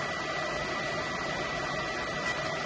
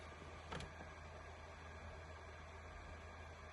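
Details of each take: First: PS4 Pro after thermal paste change: constant rushing jet-engine roar from the fan at full speed; owner thinks paste spread badly or was squeezed from the chip center when tightened, causing overheating. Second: PS4 Pro after replacing thermal paste with Thermal Grizzly Carbonaut pad, starting up; soft steady low hum, no jet-like roar, few handling clicks: normal fan noise.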